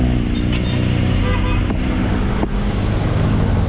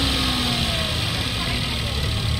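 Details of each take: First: 2017 Toyota Wigo automatic, idling with accelerator blipped: steady low drone from the automatic transmission that the client reports is louder in the morning when cold and freshly started. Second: 2017 Toyota Wigo automatic, after replacing transmission filter and fluid: steady, even idle with low rumble; transmission drone, previously loud on cold start, is gone and check engine light off.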